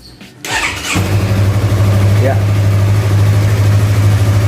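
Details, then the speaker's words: Used 250cc sport fairing motorcycle being checked before purchase, engine started; starter catches in under a second, then a steady, even low idle with no knocks or rattles, engine sounds smooth, healthy start. "kita dengerin suara mesinnya baik-baik suara mesinnya masih halus"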